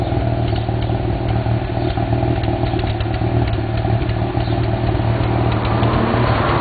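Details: 1991 Mazda RX-7 (S5) NA street-port rotary with headers and possibly Racing Beat cat-back: lumpy idle with uneven exhaust pops and crackles, a few each second; afterburn at idle, owner doubts vacuum leak, cause not found.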